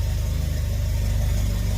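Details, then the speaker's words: Mitsubishi Eclipse GSX 4G63 first start, vacuum line off the manifold plugged: low, lumpy idle with uneven firing pulse, running very rich; owner may turn fuel pressure down and suspects a remaining boost leak. "She's running on her own, guys. A little rough idle, but really rich."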